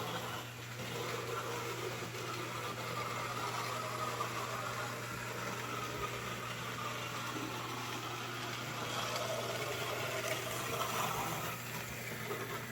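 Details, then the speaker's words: Märklin 34988 KPEV P8 steam model locomotive with Delta decoder, first run-in at about 70 km/h after oiling: constant whirring hum with gritty edge; owner thinks the noise comes from the tender rather than the locomotive. "like I said it's a little noisy it's I oiled it to run it in and then I gave it just a little bit more oil and to be honest I think it's the tender more than the locomotive that's making all that noise"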